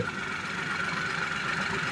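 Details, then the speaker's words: Car engine idling after oil pump repair, restarted after a failed first start with radiator water and oil refilled: steady, even idle hum, no ticking or knocking, oil light off, running smoothly, oil pump normal. "oke kali ini udah selesai mobil hidup halus pumpa oli juga udah normal"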